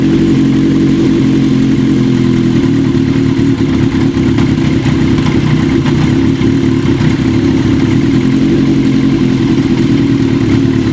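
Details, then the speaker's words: 1980 Kawasaki KZ750 four-cylinder at idle, after wintergreen softening of the hardened carb boots, which helped only partly: a busy, ragged, uneven idle. Vacuum leak still present between the carb boots and the intake manifold. "unfortunately it didn't soften it up enough we're still having some leakage between the car boot and the manifold"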